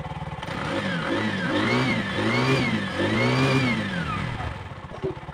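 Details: Bajaj single after carbon deposit cleaning and valve clearance set (0.10 mm), previously hard starting and misfiring: revs up and down twice smoothly, settles to a quick, even idle without spitting or misfire; normal running.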